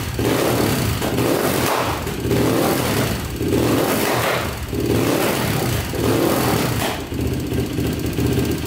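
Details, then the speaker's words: Rebuilt Yamaha YFZ450 quad at idle with the carb needle shimmed two spacers richer: a lumpy single-cylinder idle with a surging pop roughly every second. Backfiring that jetting changes haven't fixed; it seems lean but isn't, cause unknown. "It idles perfectly, but you can hear the backfire. So I'm not really sure what the backfire is coming from."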